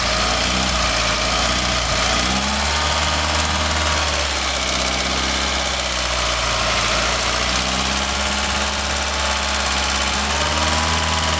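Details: Golf GTI 1800 engine at steady idle: a rough, busy rumble with a faint wavering whistle on top; an abnormal noise whose source is not identified.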